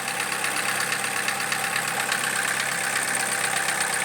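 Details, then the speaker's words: Cold idle, 2007 Opel Corsa D 1.4 Z14XEP with LPG equipment fitted, loud irregular ticking knock near three per second with uneven beat; misfire and unstable running, check engine light on. "Я чую, як щось стукає. Стукає досить голосно. І є пропуски запалювання двигуна."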